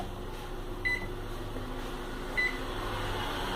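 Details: Philco PME31 microwave after repair, having previously made a strange noise and not heated, fault found at the magnetron connector: steady, even hum with two short beeps, no buzzing or arcing; now runs normally and heats.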